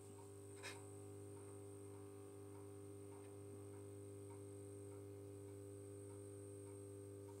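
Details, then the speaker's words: Holophane VM1 light fitting with a magnetic ballast, cleaned and working, heard from about a metre away: quiet, steady mains hum with a faint high whine, a normal, healthy ballast purr. "passe on entendu voilà un joli petit ronronnement je l'entends jusqu'à ici alors que je suis à un mètre de la vm"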